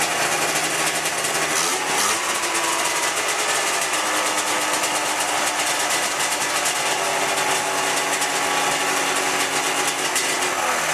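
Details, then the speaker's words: 1997 Ski-Doo MX-Z 440 fan-cooled two-stroke snowmobile, about 12K km, after replacing a cracked carb flange: high, buzzy idle holding steady without hunting or surging; idle problem fixed. "Actually, I had it running, and we're quite a bit happier with what's going on here."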